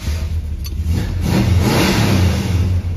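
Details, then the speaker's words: 1976 Dodge Dart Swinger 340 V8 before tuning, with a small hole in the bottom left unwelded: revs up and settles into a deep, even rumble, no ticking or puffing; sounds decent. "you know i was gonna weld up the little hole in the bottom but it sounds so decent now i don't feel like it so let's tune on it"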